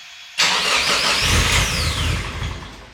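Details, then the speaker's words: Ford AU Falcon running on ethanol, remote-started at about 9°C outside: the starter churns with uneven chuffing and fades without the engine catching, a long crank with no firing. The cold and the ethanol are blamed. "Let's see if it starts. Remote start. Not surprising, it's on ethanol."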